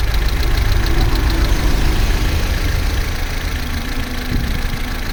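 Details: Vauxhall Corsa C, Z14XEP petrol engine, 86,000 miles, cold idle from start-up to about 6 minutes: an even, low rumble with no rattle or tapping. The timing chain rattle only becomes pronounced at full operating temperature.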